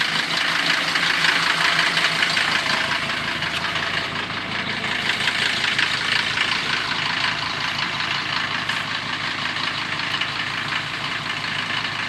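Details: Mercedes-Benz 410D diesel at idle just after an easy start, mild weather: fast, uneven chatter about three beats a second riding on the idle; worn belt tensioner bearing letting the tensioner jump.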